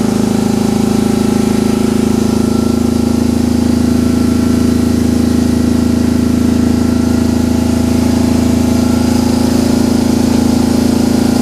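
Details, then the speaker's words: BMW R 1150 GS boxer twin, cold, project bike with no service history: runs fast and steady at constant pitch, never dropping back to idle; owner suspects a stuck accelerator cable; high idle. "that sounds like an accelerator cable is stuck no smoke coming from in there so that was probably just some stuff burning off last night but the bike started fine"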